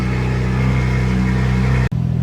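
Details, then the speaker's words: BMW M4 after new spark plugs, coil packs checked, charge cooler and distilled-water coolant, idled 10-15 minutes and held at 3,000 rpm; deep, steady, even burble with a brief dropout near the end. Normal idle. "so I've had the car idling for probably like 10-15 minutes now. Also been holding it at like 3K RPM. Sounds good. Idle sounds fine."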